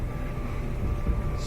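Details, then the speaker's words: Whirlpool Duet dryer running after its screeching idler wheel was replaced through the lower panel; low, even drum rumble with a faint steady hum and no squeak. The old wheel's inner metal bearing surface caused the squeak. "see if the squeak has gone away then you will plug it back in go get the PF fee just go cancel power start there we go no more squeak"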